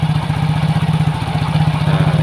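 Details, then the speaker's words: Soul GT 125 scooter after refitting the ISC idle control sensor without shimming: steady, even low pulsing at a fast idle of 1600 rpm with no hunting or misses; the earlier hard starting and stalling is cured. "dipastikan Ini motor normal tanpa diganjal ganjil ya tuh"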